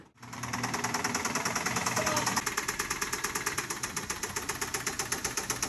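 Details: Honda Civic with a very dead battery, barely started after three tries with help from a Fit held at higher rpm, awaiting an engine swap: sharp, rapid metallic knocking at about nine raps a second over a weak, struggling idle. Rod knock in cylinder 2.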